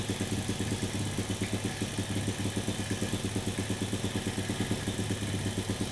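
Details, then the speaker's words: Same plug-fouling carbureted motorcycle with a cheap carb, carb screw opened to about 2–3 turns: dull, lumpy idle of roughly three pulses a second that never sharpens or revs cleanly; mixture still too rich. "suaranya masih kayak suara mesin keborosan ya, deret kayak gitu, belum teriak ya."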